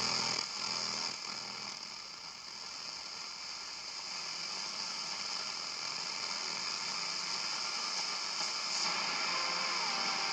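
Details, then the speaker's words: Braun SK25 vintage tube radio after electronics restoration, AM band on mini-whip antenna: constant loud hiss and crackle, only the local station received and very badly; cause not yet traced, owner plans swapping tubes such as the ECH81. "This is crazy. The only station I receive is the local station, and I receive it very, very badly."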